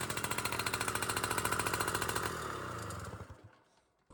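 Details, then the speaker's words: 1980 Yamaha Towny moped, sitting since 1992, on a cold start after a few days off: sharp, raw, loud unmuffled popping, then the engine fades and stalls. Owner suspects the muffler is just a straight pipe inside. Loud exhaust. "What kind of muffler is this? I bet you it's a straight line inside there. I bet that's not even a muffler."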